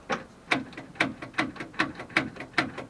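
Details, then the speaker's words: 1955 Oldsmobile Super 88, 324 4-bbl Rocket engine: rapid clicking with no crank despite a known-good battery; owner suspects the starter or its external solenoid and plans to pull it to clean. "you can hear it clicking. And uh I know the battery is good."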